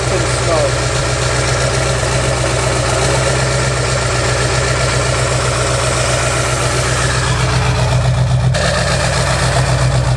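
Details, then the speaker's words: 2002 Ford F-350 7.3 Powerstroke diesel, first start after engine and cab reinstalled during seal work and coil-spring axle swap, starter corrected: steady, even deep diesel idle, no knocks or stumbles; running healthy. "all right so we are successful at getting the engine running once again and let's not forget that the truck was all the way in half few days prior and now we have the motor back in the cab on and it's running so that's a very good sign"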